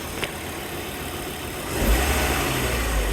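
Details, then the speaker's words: 1998 Volvo V70 GLT AWD manual petrol engine at idle in neutral after repair; earlier had trouble starting, idling and revving and rattled badly. Now a steady, even low hum with no rattle, rising slightly partway: normal idle. "fired up I nice and strong it was like really rattling bad"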